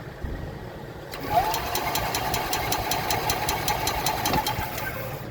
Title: 2021 ez go express L4 efi diagnosis, turn over no start